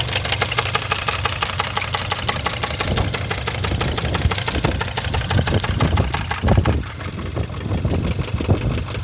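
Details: 2015 Kia Rondo 4-door wagon: sharp, evenly spaced knocking at several per second over the idle, clear engine knock from inside the block.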